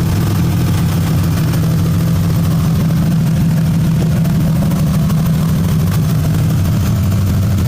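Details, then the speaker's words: 2001 Ford Ranger with rebuilt 4.0 engine, just revived after sitting 2.5 years by fixing grounds; low on coolant, possible vacuum leak, battery light on. A smooth, steady idle with no knocks, quiet engine, loud exhaust. "I mean, the motor's honestly it's quiet. The exhaust is kind of loud."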